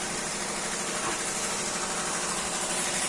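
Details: 2021 Hyundai Elantra 1.6 petrol idling smoothly and evenly with steady airy hiss after replacing faulty ignition coils 1 and 2 that caused the misfire; rescanned.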